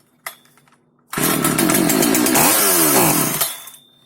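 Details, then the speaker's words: Non-starting FK136 Italian petrol chainsaw, a little fuel poured into the cylinder, air filter off: quiet, then a two-second snarling burst that dies away; ignition is fine, carburettor to be checked next. "Вот как видите, бензопила работает, что свидетельствует о том, что с зажиганием проблем нет никаких."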